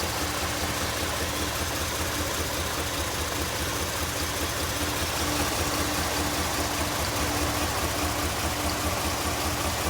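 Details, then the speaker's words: 2002 Jeep Liberty Limited with flashing check engine light at idle: uneven rhythmic chugging, two to three pulses a second like a slow train, engine vibrating more than it should; cause unknown. "I don't know if you can see it, but it's definitely vibrating more than it should. It kind of sounds like a train. Chug, chug, chug."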